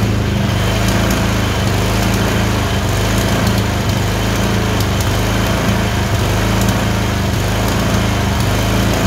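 Twin idling with an uneven beat, the odd skipped firing landing at random and a slight hunt in speed, points to an intermittent misfire.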